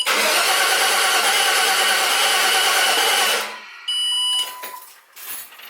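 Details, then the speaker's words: LS Vortec V8 swapped into a 2003 Jeep TJ, crank-no-start test after wiring computer power to run/start ignition output; about three seconds of steady starter cranking, no catch, then chimes; engine cranking. "So I turn the key on, it should power up. And when I crank it, it should still have power. So now, turn it on, crank it over."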